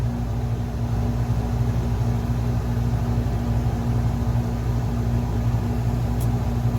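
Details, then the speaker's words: Camper rooftop AC: loud, steady low hum with an even drone, no grinding or squeal; running normally and blowing cold air. "I fixed the AC house blowing cold hopefully you can hear me over the top of it"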